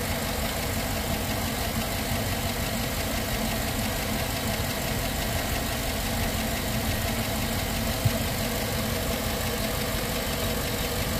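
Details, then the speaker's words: Engine idling a couple of minutes after adding Prolube oil additive; faint, regular light top-end tap over the engine note still heard, the additive hasn't quieted the tick. "I still hear it you can hear it right there well it's been a couple minutes I still hear it"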